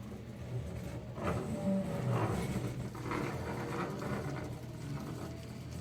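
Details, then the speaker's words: CNC router (about $5k) moving the gantry in circles: gritty, uneven grinding, gravel-like rasping bursts come and go while linear X/Y travel is smooth; motion system rough and needs correcting, cause under troubleshooting. "all right now we definitely know that does not sound right and I know my novice guys out there if you ever hear your table making noises of grinding or it sounds like gravel you already know that it needs to be corrected"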